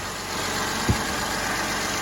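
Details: Mercedes M276 engine after PCV valve, high-pressure fuel pump and intake reassembly: steady even idle with smooth hum and one brief thump, no knocking or misfire; normal idle.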